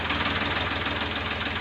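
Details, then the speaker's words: Ford tractor, old, after a fault was fixed (nozzles checked): steady diesel idle with a fast, even beat and no misses or knocks; the engine now sounds right and healthy. "कि कबीर काफी अब तक इसका sound बिल्कुल सही हो चुका है"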